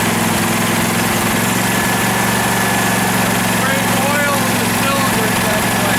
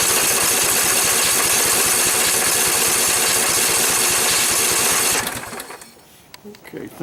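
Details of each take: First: 2012 Husqvarna riding mower that survived a flood, run before any carburetor cleaning: an even, steady low drone from the twin with no misses or stumbles, a normal healthy idle. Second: 2012 Husqvarna riding mower, flood survivor with mud on the carburetor, primed with a little gas: rapid even firing for about five seconds, then it fades out and dies like a fuel-starved stall. Owner suspects water in the carburetor float bowl, which would mean draining it.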